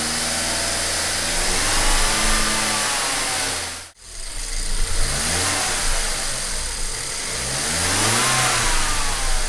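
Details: BMW 1 Series N43 engine, second run after DIY bottom-end rebuild for spun bearings and low oil pressure; steady hum held near 2000 rpm with a few smooth revs, no knocks or ticks; clean-running.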